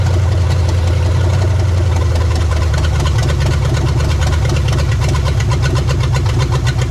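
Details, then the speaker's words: 1975 Chevy Nova 350 four-speed, sitting since 1987, started after fuel line and oil work, running off the tank. Deep, heavy V8 idle with a slightly unsettled rhythm while cold, no knocks, junk burning off the headers; likely the choke still settling the uneven cold idle. "sounds good sounds like the choke is trying to figure itself out"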